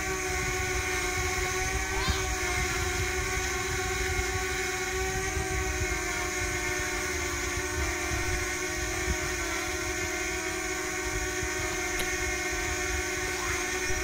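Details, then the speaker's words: DJI Mini quadcopter (250 g) heard from behind: a steady high propeller screech with a second close tone beating against it, like interference, and no roughness or rattle. Normal propeller noise. "here's the Drone from behind if we listen to it closely it sounds as if there's an interference and we get a secondary frequency from the Screech of the"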